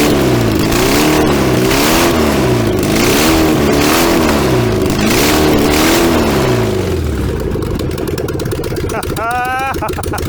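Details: VW 1303S Beetle, rebuilt 1915cc flat-four, first run after timing corrected, no exhaust fitted: raw unmuffled bark through repeated rev blips, pitch rising and falling cleanly, then settles; runs freely and healthily.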